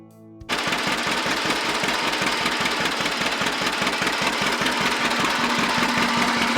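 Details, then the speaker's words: John Deere Model 60 two-cylinder tractor, revived after about 3 years sitting, choke missing its return spring and not hooked up correctly: slow, even pop-pop beat, about two and a half per second; running pretty nice, normal running. "the choke on this thing she decided to run pretty nice now this choke it's missing the spring that's supposed to push it open so I don't have the choke exactly hooked up correctly"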